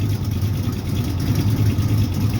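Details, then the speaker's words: Cold idle after about two weeks sitting and a fresh oil change, oil pressure around 45 PSI rising above 50, 35 at cold idle; deep uneven V8 idle with rolling exhaust lope. Broken-in motor has loosened up and lopes more than before; right-side exhaust leak at head pipe or manifold gasket. "Before it was had a lot less lope to it, and now it's definitely lopey."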